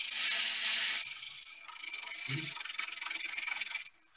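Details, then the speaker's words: Skew chisel spindle turning on a wood lathe: rapid rasping chatter about four pulses a second as the blade bites the spinning wood, because the handle was lifted without bevel support; fix is to ride the bevel. "Now, if you hear that noise, I hope the microphone picks it up. That chattering noise, that means that you haven't got bevel support."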